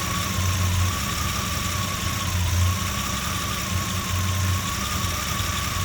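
Low idle with an uneven, loping pulse that swells every couple of seconds instead of holding steady; rough idle, cause not evident.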